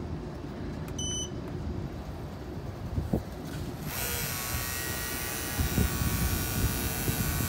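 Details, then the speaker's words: Battery-powered pump during walk-in cooler service, back running after the low-battery warning: a few short beeps, then a steady high buzzing motor drone with no stumbling; normal running. "Mr 45 cranking along not sounding bad after the um the maintenance"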